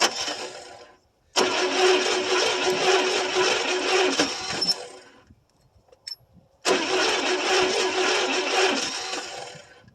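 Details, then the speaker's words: 1974 International 200 pickup with a 345 engine, parked about 25 years and freed from seizure. Two long cranking bursts with an uneven beat; owner suspects one or two cylinders have no compression. "I don't know how many cylinders are actually taking and firing. It's hard to say. When it turns over, it almost sounds like it's got not any compression on one or two of them."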